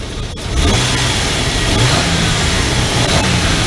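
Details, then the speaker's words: 2002 Nissan Pathfinder, check engine light diagnosed at the MAF sensor: engine picks up quickly from idle with a smooth, even rev and no stumbling; waveform much cleaner, securing the mass airflow sensor believed to fix it. "way better than before so that's why my I think that pretty much solves a problem"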